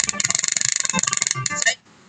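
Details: Bluetooth speaker with failed FT2705 amplifier IC (customer blamed the volume control): harsh, rapid, sharp crackling pulses break up playback when volume is raised, then sound cuts out.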